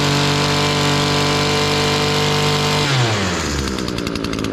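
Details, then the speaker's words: Echo SRM-225 two-stroke weed trimmer screaming at full throttle without bogging after removing a clogged spark arrester; root cause too much oil in the fuel mix; healthy full-throttle revving. "let's crank her up turn our switch on it already sounds better it sounds better already"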